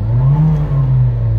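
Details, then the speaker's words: Parked petrol car idling at a raised 2000-2500 rpm that won't drop, a steady hum that never settles; suspected stepper/idle air control sensor. "alteração não cai e vou falar do caí um pouco ainda que está a 2.500 giros né"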